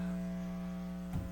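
Steady low electrical buzz with evenly stacked tones and nothing else going on; mains hum whenever the speaker runs plugged in. Cause suspected, not confirmed.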